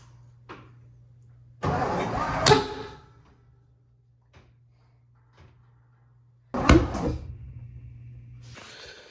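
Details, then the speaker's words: 1957 Lincoln Premiere, distributor pulled and reinstalled: two bursts of cranking with one sharp pop, firecracker smell, then dies; fires but won't run, owner suspects timing off. "all right smells like firecracker went off huh what what smells like a fireworks went off huh"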